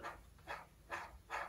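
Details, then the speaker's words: 1966 Mercury 9.8 hp outboard gearbox, water found in gear oil, disassembled, gear spun by hand: rough gritty rasping whooshes about every 0.4 seconds from a noisy, water-damaged bearing the gear rides in, pressed into the housing. "I'm spinning that that's are noisy bearing that I'm hearing now"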